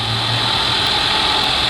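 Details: 2018 Ford Explorer, under 30,000 miles, after tapping the starter with a rod to get it to crank: engine runs at a steady even idle with no misses; no-start was not the battery.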